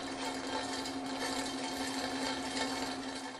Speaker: another abnormal sound that you may hear coming from a centrifugal pump is a loud rattling that sounds like marbles rolling around inside the pump